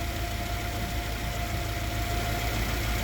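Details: Mazda F2 engine (throttle-body injection at idle) in a Yale GLC050 forklift with fault code 522655-1 for running lean at idle: smooth, even idle with no hunting after the computer compensates and the O2 sensor switches well; lean condition resolved.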